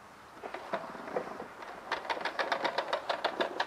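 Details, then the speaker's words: Honda HRR216 rear-wheel-drive mower that won't drive, wheel turned by hand: a run of light, quickening pops, about five per second, as the spring-loaded key clicks over its groove. Normal drive pawl ratcheting. "yeah you hear that that's when that key when it's rolling along in that Groove and it pops CU it's spring loaded right"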